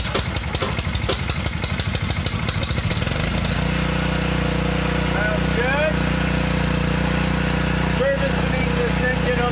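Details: Garden tiller engine, first run after replacing the drive belt (reverse pulley belt left slightly loose): a few rough cranking beats, then steady, even drone with no misses or knocks; normal running.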